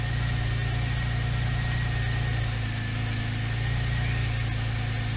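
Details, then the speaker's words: Porsche 996 Turbo, cold start at idle, checked with a Durametric cable: deep, lumpy beat with an irregular stumble every few turns; cylinders 3 and 6, at the ends of both banks, are misfiring consistently. "three and six they're just missing like crazy and this is a cold startup"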